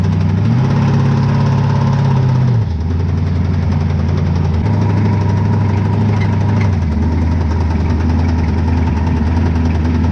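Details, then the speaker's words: 434 cu in twin-turbo methanol Chevy V8 in a jet sprint boat: a deep uneven knock, roughly ninety beats a minute, thuds through a lumpy idle; the motor sounds bad, possible bottom-end knock. "It's quite a sound like a knock, eh? Knock knock."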